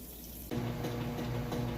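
Steady rush of water starting abruptly, with a low even valve hum underneath and no chatter or surging: a healthy fill.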